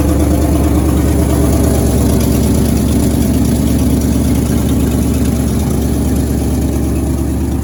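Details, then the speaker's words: 1963 International Harvester Loadstar 1800 petrol engine restarting easily after its first start in over 20 years: steady, deep, even idle with no knocking. Slightly smoky, oil slung everywhere, owner guesses the motor is tired; normal idle. "Well, that one went pretty easy. She doesn't sound too bad."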